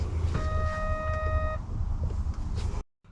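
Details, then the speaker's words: Winnebago Revel camper van: single steady electronic beep about every 30 seconds, like a smoke alarm, over a low background rumble; Carefree awning wind sensor/Bluetooth module warning of a low battery. "i woke up woke up to a beep a beeping sound um about every uh 30 seconds"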